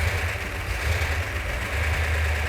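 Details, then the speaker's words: Newly rebuilt Mopar 340 V8 in car after engine stand run; deep steady rumble settling into even idle, no tapping or knocking; healthy. "The engine sounds every bit as good as it did when it was on the engine run stand. That's fantastic."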